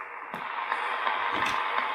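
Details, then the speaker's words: General Electric 18-channel 3-5825B AM/SSB radio after cap replacement, track and dry-joint repairs and board reflow. Steady hiss and static with faint signal; receive works normally again, but there is still no transmit. "so we've actually got it receiving now there's still no tx i'm going to have a bit more of a fiddle"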